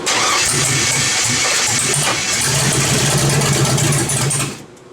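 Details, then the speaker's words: LS-swapped V8 with homemade headers, no stepper motor control, first start: catches and runs lumpy with uneven popping about twice a second, then dies; later found unconnected wiring. "It's popping. It's not running right."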